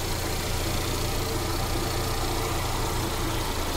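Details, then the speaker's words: Mercedes CLA 200 just after starting, check engine light blinking. The engine vibrates and shakes with a low, lumpy, stumbling idle and no steady rhythm, a misfire; scan not yet done. "ये जैसे तो friend ये देखिए गाड़ी हमारा कैसे हिल रहा है मिसिंग कर रखा है जर कर रहा है"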